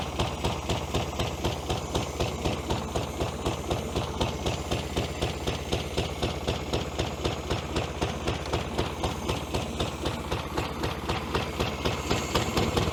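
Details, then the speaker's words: 1966 VW Beetle, first start after 10+ years in junkyard: uneven, lumpy idle, beat about four per second with missing pulse, low power; one cylinder not firing, its exhaust pipe cold, bad plug suspected. "right she's not running on this one here that's the exhaust pipe coming out there and that's cold I can actually hold my hand on the exhaust pipe there"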